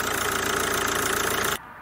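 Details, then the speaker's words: CRDI diesel at idle with a belt tensioner pulley whose bearing is worn after about 2000 km: loud steady whine, hiss and squeals over the engine until shutdown. "chcę Wam pokazać jak pracuje rolka która ma wyrobione łożysko Postaram się żeby to było widać oczywiście słychać wielki szum słychać piski"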